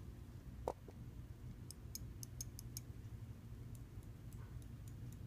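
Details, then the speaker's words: Computer mouse after repairing double-click fault by refitting the button's switch spring: a handful of crisp single clicks, each clean with no double bounce; button now clicks normally. "then just slowly rotate these together until they click"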